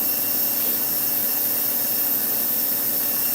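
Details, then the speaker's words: Slot car motor after swapping in a different armature; steady high-pitched whine at constant speed, smooth with no rattle, scrape or hesitation; the old armature is suspected tired; normal running. "that sounds much better I don't know maybe this maybe this Armature just got a little tired"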